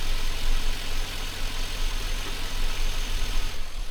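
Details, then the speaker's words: Chevrolet Silverado V8 idling during warm-up after the mass air flow sensor was reconnected and the radiator installed, to be checked for engine codes afterward: a steady, even low rumble with no misses, knocks or ticks. Normal idle. "Truck runs great. It's idling by itself."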